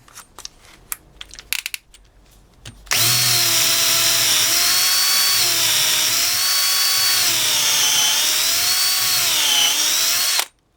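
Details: DeWalt DCD710 12V two-speed drill/driver on 2.0Ah battery, number six brad point wood bit: high steady motor whine sags and recovers slightly as the bit bites into wood; drill pulls cleanly, no problem.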